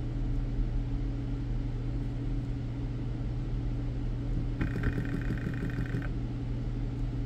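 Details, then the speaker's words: BMW E60 electric water pump bench-tested dry on 12 V at pins 1 and 3 with pin 4 ground: low steady hum that rarely ramps up, brief higher whir midway; pump motor struggles to spin up, pump judged bad. "well having trouble getting it it'll ramp up sometimes there we go so not sound in the greatest definitely an issue with the pump yeah it's dry but it's shot anyway"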